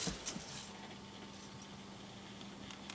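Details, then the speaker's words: Dell Dimension 4600 on first power-up after fitting a Sapphire Radeon HD 4650, loud old Western Digital hard drive: quiet irregular ticking and chunking over faint fan hum as the drive seeks busily during boot. "I don't know if you can hear it, but the hard drive is chunking away on this computer."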